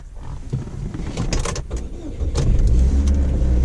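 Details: 2004 Saturn Ion Redline, modified, 2.0 L supercharged inline-4, started from the driver's seat: starter cranks briefly, engine catches at once and settles to steady, even idle; normal clean start.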